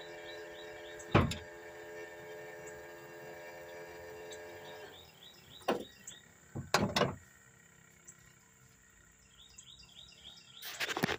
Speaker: that's the sound of a starter that's uh shot